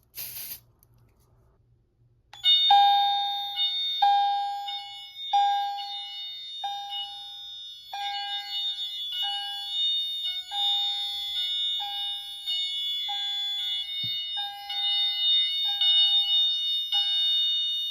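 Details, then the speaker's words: Notifier NFS-320C fire alarm panel demo: a smoke detector (detector 3) is activated with smoke, giving a repeating bell-like chime about once a second, the fire alarm tone. "Now detector 2 is an alarm. Detector 1 was the carbon monoxide detector. Now to activate this detector with some smoke."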